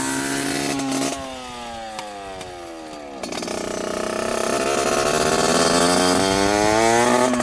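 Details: 1986 Yamaha YSR 50 two-stroke with aftermarket DG pipe, leaking gas, on first ride: revs up, sags, fades and climbs unevenly, hesitating under throttle. Rough running; sounds like something plugged up starving fuel, cause unconfirmed.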